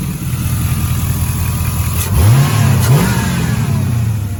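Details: 5.3 LS-swapped Pontiac Firebird with new LS1 Corvette filter regulator and stainless L59 flex fuel rail: smooth idle, then two clean quick blips rising and falling with no stumble or miss; V8 sounds much better and healthy.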